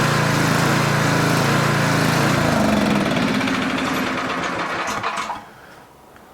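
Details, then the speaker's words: Older Tecumseh 4,000 W generator before carburetor main jet adjustment: engine note rises and falls about four times a second, never settling, surging from a too-lean mixture; the fix is richening the main jet. "It's surging. Surging usually means too lean of a mixture."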